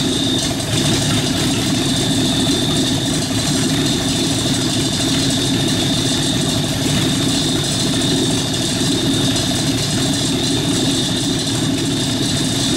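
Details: Rat rod truck idling with a York AC compressor converted to a belt-driven air pump for an air-bag suspension, building tank pressure, switch set near 100 psi; steady idle, constant mechanical hum and faint high pump whine, smooth and normal.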